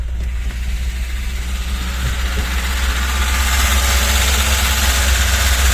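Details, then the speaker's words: VAZ 21063 (Lada) with carburetor, new accelerator pump diaphragm fitted: engine catches and its hum climbs and stays high instead of settling to low idle; turning the mixture screw doesn't help; high idle, cause unknown. "я крутив цей болт оцей ніхера машина реве і все"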